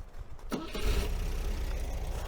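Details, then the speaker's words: 1980 MGB with the number one plug lead refitted, starting before a warm-up drive: a short crank, then a clean catch into a steady, even idle with no misses or stumbles, a healthy start. "there you go that sounded pretty good to be honest with you"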